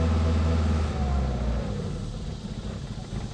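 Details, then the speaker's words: 1985 Honda Accord 1800, 62K miles, long unused, just started with some fresh fuel added to stale gas: low, uneven beat around three pulses a second that sags and fades, rough stumbling run; bad old fuel suspected. "yeah she's not happy she's got some garbage for gas in her"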